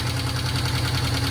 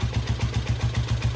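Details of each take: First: 1972 Honda CL350 twin, fired up: even, steady putter at 1100 rpm, evenly spaced pulses, no hunting. Finding: normal idle. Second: 1972 Honda CL350 twin during carb mixture adjustment, pilot screw backed out about a quarter turn until idle falls off: slow, even low putts around 220 a minute, nearly dying. Finding: idle drop from pilot screw set too far out.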